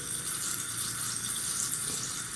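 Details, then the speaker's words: Fluidmaster 400A toilet fill valve after cleaning debris, tank nearly full, under water pressure: steady fine hiss of water leaking out, no normal filling gurgle; valve still leaks and needs replacing. "Hear the water leaking a little bit? There's pressure, there's water leaking."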